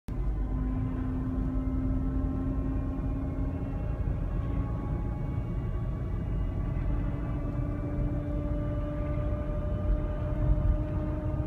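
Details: 2017 Toyota Highlander: steady tonal whine rising with road speed over cabin rumble, diagnosed as transmission-related; dealer ordered a remanufactured replacement transmission.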